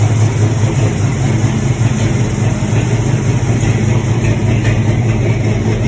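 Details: LS-swapped C10, 6.0 with a cam, after a new tune: loud idle with an uneven, stumbling beat; idle miss from leaking, half-clogged junkyard injectors over-fuelling at idle, less noticeable when revved.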